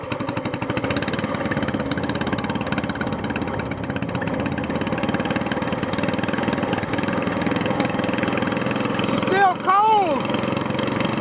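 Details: SPS Longtail mud motor, freshly built and still cold, just after its first oil change following a 3-hour break-in, now on 10w-30 Royal Purple synthetic with 2 oz BestLine. The single pops at a fast steady beat and revs up evenly without knocking; it seems to rev smoother and is healthy.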